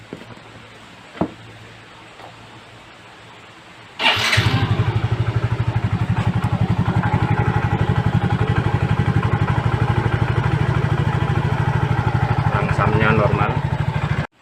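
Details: Yamaha Mio J fuel-injected scooter that was sputtering, after replacing the faulty MAP sensor (code 14) and clearing errors: engine catches at once and settles into a steady, even idle of about three beats a second; runs fine.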